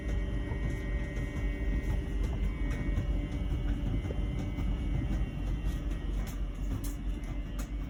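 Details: LG Wash Tower WKHC202HBA heat pump ventless dryer, about a year old and otherwise working fine: a new steady buzz with faint fixed tones rides over the deep tumbling rumble late in the cycle, cause unknown.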